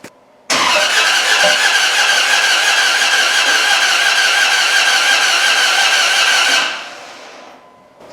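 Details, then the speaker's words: Dodge Ram 1500 with a replacement 4.7 HO engine from a Jeep Grand Cherokee: steady cranking about six seconds, no firing. Crank and timing chain turn but the cam doesn't; owner suspects bent valves. "the motor spins the cam gear spins with the cam chain the timing chain everything works but the cam's not spinning which means as these are a crasher motor i've got bent valves"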